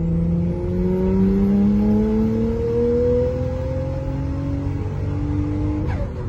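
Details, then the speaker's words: Nissan Skyline R33 after fixing a wastegate valve that had stayed open and stopped boost: a hard pull with a smoothly rising note as the turbo comes alive at 3,000 rpm, before downshifting to 4th and 3rd. "Ez 3000-es fordulat, és már él a turbó, él az autó."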